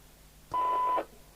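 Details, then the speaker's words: Midland 77-104DUK UK FM CB radio after ceramic 455 kHz filter replacement, heard via wall extension speaker, signal generator at 0.3 µV: weak test tone opens cleanly for about half a second, no chatter, normal squelch action. "It popped in for a second as we switched the signal generator on. Absolutely normal squelch action."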